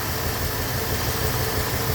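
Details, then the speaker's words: A rebuilt engine that sat unused for years idles warm: steady, even and quiet, with no knocks. When cold it ticks, which the owner suspects is a lifter, but it quiets once warmed up. "but it's nice to hear it quiet up when it's cold when it's warmed up it quiets it"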